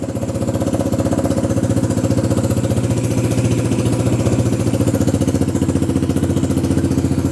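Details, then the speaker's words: XR150 clone motorcycle after carb repair and choke/enricher cable fitted, battery briefly charged: starts right up, even steady single-cylinder idle about four beats a second, no misses; runs really well, normal idle. "Now let's see. Oh yeah, that seems to run really well."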